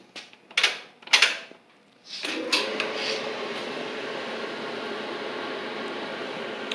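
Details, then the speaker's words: Noisy Whirlpool dryer after new 349241T drum rollers were fitted and it was reassembled: a few handling clunks, then a smooth, quiet, even hum with no thumping or squeal; the repair succeeded and it runs normally. "okay so all right screws lifting back in let's see if this noise is stopped"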